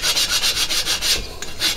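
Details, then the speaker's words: Lapping a cylinder to its head bore by hand with water-based lapping compound: even back-and-forth strokes about four a second, tone now smooth and consistent, no longer scratchy; cylinder mated evenly to head. "as long as you're pushing down and you can hear the tones changing now it doesn't sound as scratchy or as rough and it feels better under hand"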